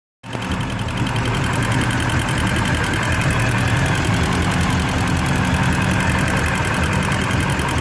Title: Indmar MCX ticking noise at idle